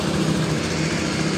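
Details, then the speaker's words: Honda Beat scooter whose electric starter was dead, a battery swap didn't help; the fault was a switch on the red-black wire. After the fix it starts and idles with an even, steady putter, running normally. "Coba kita hidupkan sekali lagi. Motor hidup dengan normal."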